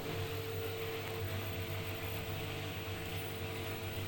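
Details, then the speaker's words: New front-load washing machine on spin-only after re-levelling the four feet and removing the transport bolts: smooth, steady, even low drone with no thumping or rattling; drum balanced and stable, normal spin. "oh the machine is stable no vibration because it's a well balanced stable"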